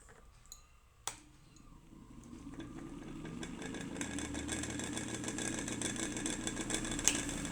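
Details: A ceiling fan whirs up to speed with a dry rattling tick about three times a second from a worn bearing, fixed by bearing replacement.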